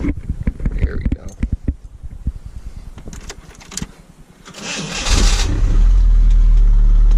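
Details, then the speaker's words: 1995 4WD Chevy S10, four-cylinder with 5-speed, new turndown exhaust after the old one was damaged: several seconds of regular cranking, then it catches cleanly and holds a steady idle; starts right up normally. "it's still pretty quiet but right now it's a four cylinder with a 5-speed and starts right up surprisingly"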